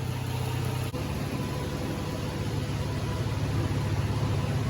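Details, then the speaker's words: 2006 Toyota 4Runner, fixed no-start-when-hot by replacing park/neutral switch and connector, idling warm after 20 more minutes: smooth even low rumble, no misses, knocks or hunting; still no fault, normal idle. "20 minutes later still no change well that's a fix"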